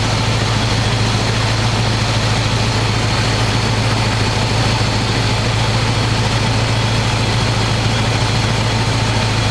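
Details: 1985 square-body 454 big block, 4-speed, sat 20 years, oil and filter changed; after adjusting idle screw that wasn't touching throttle, warm engine idles smooth: loud deep steady burble through open pipes, even pulses, no ticks or stumbles. Normal idle.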